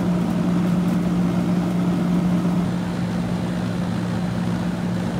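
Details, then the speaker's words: Circa-1991 ICP condenser, compressor previously would not start, after adding hard start kit (potential relay and start capacitor); steady even hum, constant low drone, no clatter or stalling: normal compressor run. "Yep. She took off. Hard start broke her free."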